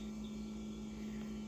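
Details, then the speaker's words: 2005 Cub Cadet 50-inch mower after replacing the broken throttle/choke cable: small engine holds a steady even hum at constant speed with no misses or knocks, running normally. "quick easy fix and obviously i gotta clean the mower um but other than that still running good"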